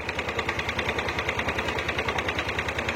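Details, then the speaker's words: Yamaha Aerox 155 with error codes 12 and 46 (charging fault), battery connected: uneven crackly idle beating about three per second; charging output possibly too low or too high is altering ignition current, causing rough idle. "Apakah si pengisiannya kurang gede apa sebaliknya gitu terlalu terlalu gede gitu pengisian kakinya sehingga dia merubah arus pengapian"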